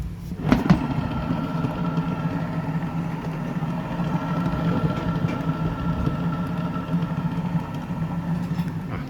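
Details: Toyota Harrier CVT while driving: steady droning hum with a thin whine over road rumble that gets louder with speed, like a motorcycle alongside, and turns to knocking near a stop; worn, stretched CVT belt and CVT bearings.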